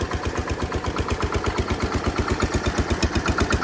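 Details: Massey Ferguson 16 garden tractor with old Kohler single-cylinder engine, revived after being parked roughly since 2013, new replacement ignition: steady even thump at constant idle speed, no misses, knocks or surging; running normally.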